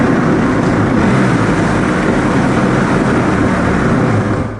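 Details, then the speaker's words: Cheap used WaveRunner running; loose uneven rattling clatter over the exhaust drone, likely from the impeller drive shaft, which has a ton of play and needs rebuilding with new parts. "well that was actually really obvious that time so the impeller drive shaft I no there's a ton of play in it and it needs to be rebuilt"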